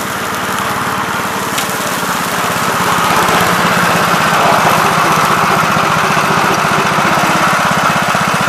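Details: 1969 Gravely C8 walk-behind tractor, single-cylinder engine fired up in the morning after repairing its no-high-range fault (worn ring found): steady beat around three firings a second, even and unbroken, no knocks or misses; running healthy.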